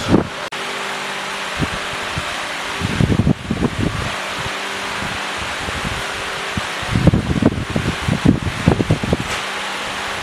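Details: Rebuilt Willys F134 engine on a screw-jack test stand with no transmission at its first break-in start. Pressure-lubed with 30-weight break-in oil, new Pertronix distributor and coil, new starter. It fires and runs with an even low beat and stand rattles, no knocks or misfires: normal.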